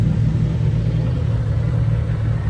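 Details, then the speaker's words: 2JZ-swapped BMW E46 M3 running again after a compression test passed and a loose fuel-rail fitting was tightened. Deep, even straight-six rumble with no knocks, ticks or misses; normal running. "oh man dude it is great hearing this let's let's listen to it a little bit more she's back she's back from the dead boys and girls"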